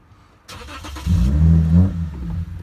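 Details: 2009 Lexus IS 250 with an aftermarket mass airflow sensor fitted: catches after a short crank, runs rough about a second and a half, then dies; starts then stalls, aftermarket MAF suspected.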